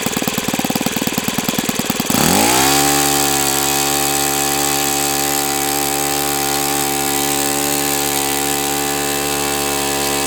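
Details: O.S. FS-91S II four-stroke glow engine, first run on test stand, started at about quarter throttle: starter ticking, clean catch, quick rise, then smooth, even steady note with no misses. Owner says it freed up once warm; normal running.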